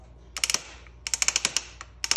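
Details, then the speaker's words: Multi-link mountain bike, frame twisted by hand with brakes released and a stethoscope on the pivots: short bursts of sharp, dry creaking ticks in clusters. Suspension pivot creak; lower pivots and bottom bracket suspected. "but I'm going to check these two cuz it sounds very loud in here and do a bottom bracket"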